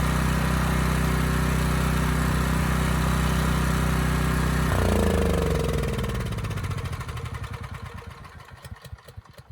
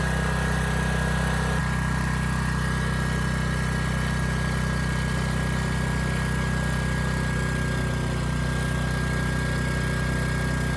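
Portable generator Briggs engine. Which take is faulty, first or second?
first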